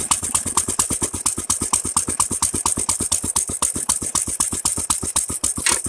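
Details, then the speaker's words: Nearly 100-year-old Standard Monarch tractor, seized engine freed with Kroil, tank cleaned, carburetor fitted, new Champion 25 plug, choke off, a little throttle: slow even chuffing with sharp exhaust pops, running steadily. "I am super impressed it went from you know stuck froze up not running to this in less than a week"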